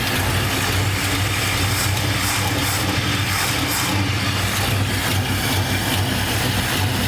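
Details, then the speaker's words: 1969 Ford F100 V8 revived after 30+ years holds a deep, steady idle with a slight lope and no misses or knocks, possibly from an aftermarket cam; sounds healthy. "Sounds pretty good. Yeah. May have a cam in it. It sounds like it, don't it?"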